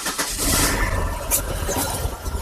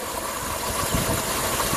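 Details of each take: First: 1999 Pontiac Grand Prix GM 3800 petrol engine starts and idles unevenly, missing badly, with a shaking, uneven rumble; fuel pressure holds about 40–43 psi. Symptoms: misfire (P0300), running rich, poor acceleration, red-hot catalytic converter. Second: 1999 Pontiac Grand Prix GM 3800 V6 with a P0300 misfire, running rich and a red-hot catalytic converter. After the coil pack was replaced and spark restored, it idles smooth and even, firing on all cylinders.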